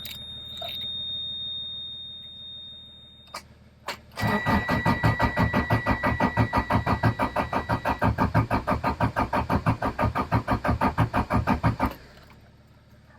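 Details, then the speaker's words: 1994 Subaru Impreza WRX barn find stood 16 years, cranking after new fuel filter, oil filter and freed starter; even cranking about three beats a second with high buzz from oil pressure gauge: no oil pressure, oil pump or relief valve suspected. "That's the oil pressure gauge that's doing that and making all that noise. So, now what do we do? So, I tried a few things and I can't get oil pressure on this."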